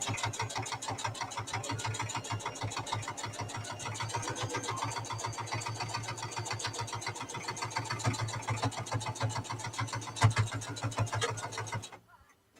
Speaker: you can hear the thumping as it gets thicker along the fabric